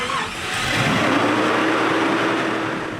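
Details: Vintage RV with engine hot, after refitting the AC compressor belt onto the tensioner arm; steady engine hum with a faint constant tone, no belt squeal or slap, AC running and blowing cold: normal running engine.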